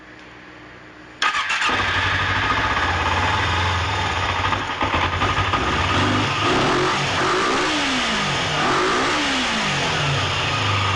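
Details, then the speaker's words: 2006 Kawasaki Ninja 250R started in neutral, possibly on choke, after cleaning the cam chain tensioner. Its ticking had sounded like needing a valve adjustment, though the valves were fine and the cam chain was very loose. It now idles steadily with no ticking. "No tick. There's no ticking noise anymore. And that is how you fix the ticking noise from the engine in some cases."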